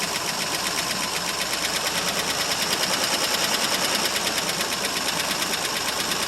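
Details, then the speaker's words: 1968 Mercury Monterey 390 FE two-barrel, sitting about 20 years, first cold start: uneven lumpy idle with light irregular ticking about three per second; owner suspects a stuck valve or two, water blowing from exhaust. "well as you can see folks it does run it actually is it's got a stuck valve or two"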